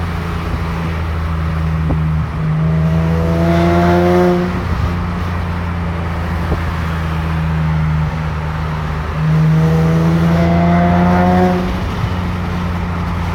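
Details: Nissan 370Z, no check-engine light: engine revs through mid range twice and a thin squealing screech rises each time only between 3500 and 4000 rpm, with or without AC, dropping away as revs fall.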